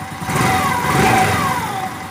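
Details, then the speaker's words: Honda Biz 100 single-cylinder motorcycle after repair of an engine noise: revs up and settles back smoothly with no ticking or rattling over the exhaust; engine now quiet and healthy. "E aí pessoal resultado ficou assim ó eu parte dele a moto a moto motor zero acerta o sol sem barulho"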